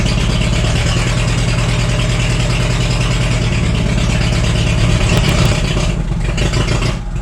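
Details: Cheap forklift engine after ignition work (distributor cap orientation checked): low, uneven chugging idle with an irregular stumble in the firing beat; one cylinder missing, traced to a bad rear spark plug.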